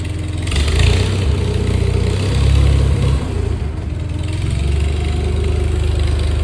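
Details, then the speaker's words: Farmall 400 tractor sat several years, after cleaning the fuel tank, rebuilding the carburetor and fixing battery cables: started with little cranking, strong steady low rumble with smooth throttle blips, even firing; normal running. "I didn't crank it for long. It started up. It's a hard to start if it's been sitting several years."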